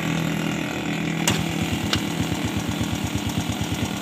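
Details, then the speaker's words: Honda Fit X motorcycle that died and lacked power from a piston fitted backwards: after refitting the piston correctly and adjusting the valves, it starts at once and holds a steady, even putter; normal idle. "motor langsung hidup setelah kita menyekir klep dan menyetel dari pistolnya yang sudah terbalik"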